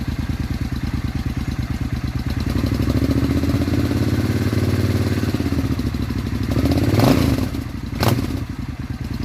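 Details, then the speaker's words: Suzuki Intruder 800 VS after a spark plug swap: even, loping V-twin idle with a brief throttle blip and no popping, hiccups, backfiring or misfiring, much smoother than before; normal idle. "Well, I think it is much smoother. There's no more hiccups, no more popping noises, no more backfiring or misfiring."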